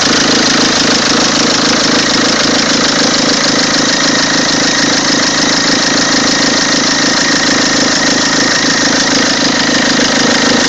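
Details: Peugeot 206 2.0 HDi 90hp XS 2003 diesel at idle: steady, fairly regular tapping riding over the clatter; odd engine noise, source not pinned down, cause suspected, not confirmed.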